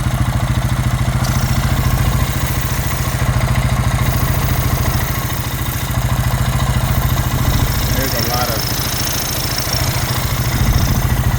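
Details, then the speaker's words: 2000 Honda Rancher single-cylinder idle with dipstick removed, runs well: heavy rhythmic chuffing from the dipstick tube near 200 beats a minute; excessive blow-by, crankcase breather clear, shifter oil seal blowing out; owner thinks engine worn out. "Seems like there's a lot of excess blow by. Crankcase breather is free."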